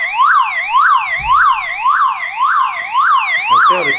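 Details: Old car alarm siren keeps sounding on its own backup battery after its wires are cut; loud rising and falling wail about twice a second, during the process of disabling the alarm and removing the horn.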